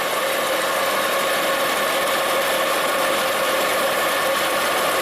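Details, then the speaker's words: 2010 Volvo XC90 with lean codes, after the PCV-system vacuum leak is sealed; a steady, even idle with a level hum and no stumble or misfire, running smoother, though clearing codes did not reset the fuel trims. "But it's definitely running smoother."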